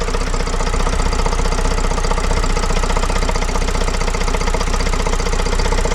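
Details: Vauxhall Vivaro 2.0 diesel van, first start after replacing and coding an injector, engine breathers still missing: steady, even diesel clatter at idle with no misses, stumbles or knocks; engine running as it should.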